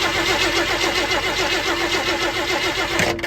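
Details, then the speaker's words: 1965 Ford F100 body on a 1974 highboy chassis with a supposed new crate 390 V8 and automatic: even starter cranking about 3.5 pulses per second, no knocks or grinding; normal turnover during spark test before starting. "I might add that this motor sounds pretty good turning over too, no weird sounds or nothing, so let's see what we got."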